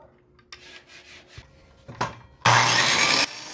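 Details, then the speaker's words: Circular saw that had stopped turning on, after refitting a loose wire to the carbon brush and checking the brushes: spins up to a loud, steady, even whine for under a second, no grinding or stutter; fixed, runs like new. "Listo ya quedó como nueva a seguirle dando"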